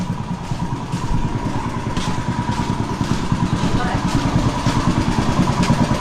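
Steady low thump at about three beats a second, even and unbroken with no misses or knocks, so the engine is running normally.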